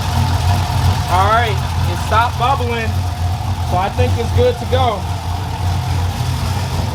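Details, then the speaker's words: V8 after TSP Torquer V2 cam (113 LSA), dual valve springs, hardened pushrods, 36lb injectors, not yet tuned, coolant bleeding, temp holding 209°F: deep, lumpy, steady loping idle, running even; normal cammed V8 idle. "But man, it sounds good. Needs a tune though."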